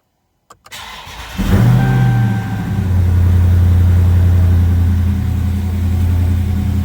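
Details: Dodge Charger 392 after oil change and oil life reset, first start for leak test: starter crank, quick catch and flare of revs, brief low oil pressure blip, then steady deep idle with no knocks; healthy start.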